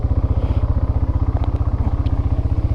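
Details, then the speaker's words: 2001 Yamaha Bear Tracker 250 ATV idling in neutral after pickup coil and stator repair, new petcock, fuel filter, plug and air filter: even single-cylinder thump around ten beats per second, no misses or knocks; healthy idle. "you can hear, it's idling really good. I had to put a new petcock on it."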